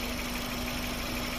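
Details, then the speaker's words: Engine idling after replacing the stiff, rough old Mitsuba radiator fan motor; smooth steady hum with airy fan rush, no rattle or scrape; engine quiet again, normal idle. "After palitan ng radiator motor, yan, so tahimik na ulit siya. So yun lang yung ginawa natin para tumahimik ulit yung makina."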